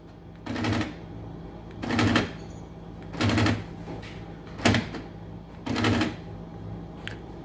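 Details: 2009 Ford Flex power door lock actuator: repeated half-second bursts of rapid mechanical clatter as the lock chatters, pulses and bounces.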